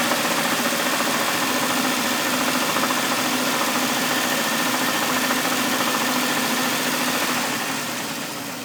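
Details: 2000 Jeep XJ idling petrol engine with a steady, fairly regular knock of about three to four per second from the motor, recently started; cause unknown.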